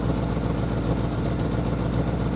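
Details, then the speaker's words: Ford F100 390 FE V8, worn engine needing rebuild, idle adjusted after resetting mixture screws to 1.5 turns: low, lumpy idle with an uneven beat; owner thinks it fires on six maybe seven cylinders. "we'll do a burnout firing on I think six maybe seven cylinders"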